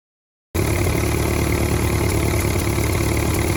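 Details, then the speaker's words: Ford 8N tractor after replacing the exhaust manifold gasket, test run: steady, even low beat with no popping or cracking from the exhaust; sounds healthy, good oil pressure even at temperature. "Well, I took him for a test run, and it sounds a lot better. None of that crack, crack, crack, crack."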